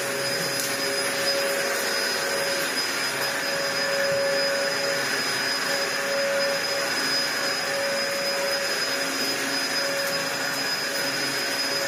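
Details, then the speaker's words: Dyson DC01 upright vacuum built 5 June 1998 (about 25 years old), after refitting the original base plate inner: steady high motor whine and airflow rush at even pitch, no surging or grinding; running normally on a rug. "Well, I think it's working fine. I think this rug possibly does not like DC01s."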